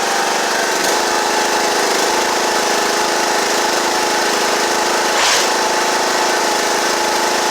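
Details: John Deere E110 riding mower after deck belt replacement: small single-cylinder engine at a steady, even speed with a constant drone and no knocks or misses. Healthy running.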